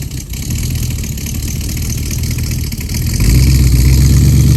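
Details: 1969 Mustang V8 that sat 15 years, driving off after new exhaust and tips fitted: deep, even burble swelling as it pulls off, clean exhaust note with no ticks or rattles; normal.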